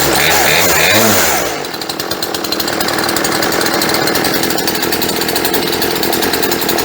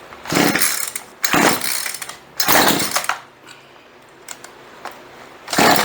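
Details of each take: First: Chainsaw sat 4 or 5 years, after fuel line replacement, first run with choke off, carburetor not yet tuned: crisp even two-stroke buzz at steady pitch with quick dips and pickups, no misfires; idle set slightly low. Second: Chainsaw sat 4 or 5 years, fuel lines rotted, carburetor untuned, on choke: four pulls each give a brief sputtering burst that dies; nearly fires but won't keep running.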